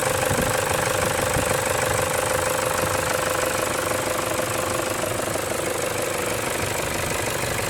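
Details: 2007 Toyota Hilux 2KD diesel after a timing belt, tensioner and alternator belt change: a thin steady whistle rides over the diesel clatter, coming and going and first suspected at the air intake; cause is a leaking turbo-to-cat exhaust gasket.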